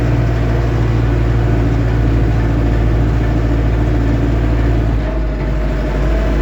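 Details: Lovol M504 tractor driven above 25 km/h: a steady humming tone from the gearbox over the heavy engine note; the owner asks what is making the noise, cause unconfirmed.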